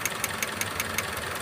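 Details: Toyota Vios idling with a sharp regular tick about every fifth of a second over a steady hum; misfire, suspected leaking ignition coil.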